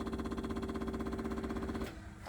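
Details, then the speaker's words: COE truck electric fuel pump, key turned to run after reinstalling the gas tank: steady buzzing hum with a fast even pulse for about two seconds, then a clean stop; pump primes and works normally. "that pump kicks on and works so that's good"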